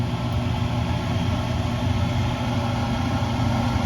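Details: Vevor food-truck concession hood exhaust fan (Ventilation Direct VXD12, 500 CFM) on first test run right after installation and wiring: constant low steady roar at one speed, no rattle, scrape or squeal; breaker held, fan running properly.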